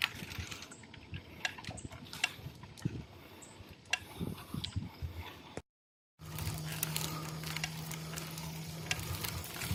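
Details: Boardman SLS 9.8 road bike: irregular light ticks and rattly clicks as the bike is worked; source of the clicking not pinned down.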